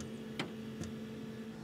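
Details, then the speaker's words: Planar/Autoterm 2D 12V diesel heater, first run in a Microlite Cargolite camper's underfloor box: soft, evenly spaced pump thumps about every half second as it primes. Fuel not yet visibly drawn and owner hopes it isn't a leak. Normal priming. "now I'm not seeing a draw fuel yet hopefully that doesn't mean a leak but that thumping is the pump it's moving fuel"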